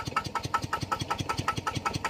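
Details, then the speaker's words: Single-cylinder engine driving a piston pump, started to water vegetables after its crankshaft set was re-oiled to fix a loud knock: soft, even chuffing at about five beats a second with no knock; normal running. "เดี๋ยวผมจะสตาร์ทเครื่องแล้วก็จะไปลดน้ำตามผักนะโอเคครับผมดังนิ่มมากนะ"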